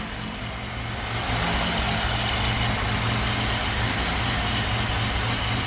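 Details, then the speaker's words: Pontiac Grand Am GT with swapped 3800 V6, NIC cam, new coils and ignition control module, first start: steady lopey idle with even low rumble, no misses or knocks; healthy cammed idle. "It's so sick, guys. That cam chop just sounds so good."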